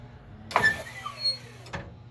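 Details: 1996 Kwikee Series 32 electric RV step after gearbox replacement, retracting as the door closes: short motor whir with a falling tone for about a second, ending with a soft clunk.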